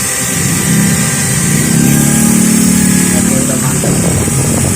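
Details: Maktec MT811 drill being repaired for a slipping head with a gearbox replacement, run in drill mode. Steady even motor whine with no hammering or grinding: normal drill run.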